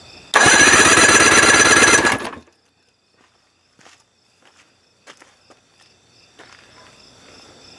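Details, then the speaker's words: 1973 Johnson 50 hp outboard (50ESL73R), after head gasket replacement for overheating and ~60 psi low compression: brisk, even cranking pulses, compression now about 115 psi, doubled; normal cranking compression. "so yeah between those two that should be perfect should have plenty of pressure to start it up so i think this is a win"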